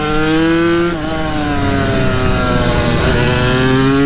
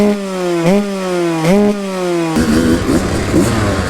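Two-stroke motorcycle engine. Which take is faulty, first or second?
first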